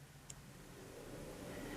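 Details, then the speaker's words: Toyota Prius cooling fan switched on through a Bluetooth scan tool active test: a soft, even rush of air builds over a couple of seconds with no ticking or rubbing. The radiator fan runs normally. "yes the cooling fan is turned on okay cooling fan is off"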